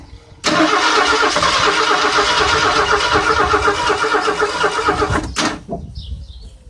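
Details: Ford Granada that sat almost 20 years, two-stroke oil and gas mixture added for valve lubrication, inline fuel filter before the fuel pump: starter spins the engine steadily about five seconds at an even rhythm but it never fires.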